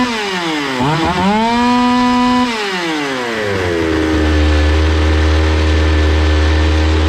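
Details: Zomax 5020 two-stroke chainsaw after carburetor cleaning and mixture screws closed then reopened; revs up, drops back cleanly to a steady even idle without stalling or hunting.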